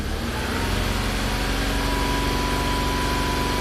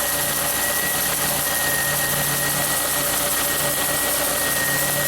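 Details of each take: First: 2006 Ford Escape with earlier electrical faults, cluster dead and a burning smell, and a battery found below 3 V: smooth, even idle with no misses or belt chirp. Charging is normal, holding 14.4 V against 14.27 V desired, with no generator codes. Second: 2006 Ford Escape at idle, battery had been below 3 volts, charging at 14.7 volts: steady idle under a constant faint whine; alternator under heavy load pushing 97 amps into the battery, alternator replacement planned.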